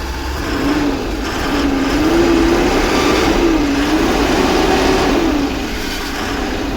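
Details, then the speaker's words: Maxxforce 7 diesel at raised idle with throttle set, high-pressure turbo cartridge recently replaced: a wavering squeaky chirp over the engine, not the turbo but an exhaust manifold leak. "squeaking the squeaky noise many of you will think that's the turbo uh but it's not that's actually a leak and exhaust exhaust manifold I already checked on that so that's saky noise is from my exhaust manifold"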